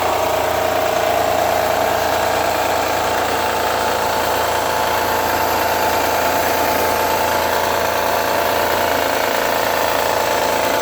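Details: 2009 Honda Accord V6 at cold-start idle: a light knock, about three beats a second, over the engine hum, going away after a few minutes. Owner suspects a pulley or belt tensioner. Knocking at cold idle.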